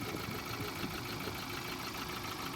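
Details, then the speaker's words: Ford Ranger 2.0 single turbo diesel idling unevenly, shaking, with irregular low thumps: misfire from a faulty injector, fixed by replacing the non-repairable injector with a new one. "Ford Ranger 2.0 zero single turbo so ang problema nagkurogkurog ang makina"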